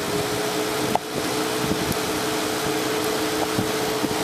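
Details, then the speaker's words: Overheating car, engine off, after replacing a blown 30 A fan fuse: electric radiator cooling fan comes on with a steady, even whoosh, no rattle or wobble; fan working normally, temperature should drop. "think we found our problem there's our fan running and cooling that engine down"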